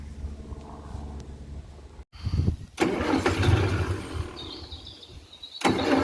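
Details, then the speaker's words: 1947 Austin 16 off the road since 2008, cranking: slow rhythmic cranking bursts with no firing; fuel pump was not pumping any fuel, so it was removed to rebuild. "So, it um obviously wasn't pumping any fuel through, but uh it's not terrible on t"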